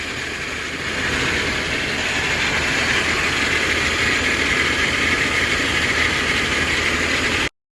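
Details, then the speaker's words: Toyota reassembled after a starter job under the intake: steady idle with a persistent high hiss, like air being sucked in. A leak near the intake gasket is suspected (its replacement was advised). Hissing at idle. "I told him to replace the intake gasket here but sounds like there's a little bit of a uh a leak between the"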